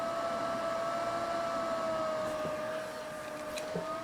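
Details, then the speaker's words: PC cooling fan just after boot: steady mid-pitched hum sagging slightly in pitch midway then climbing back; the fan, not the healthiest, struggles to hold its speed. "It's trying, but unfortunately this fan is not the healthiest. You can hear it's having a hard time maintaining the speed."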